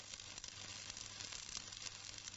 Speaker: you can tell whether the arc is the right length from the sound of make if the arc is too long it will make a low hissing sound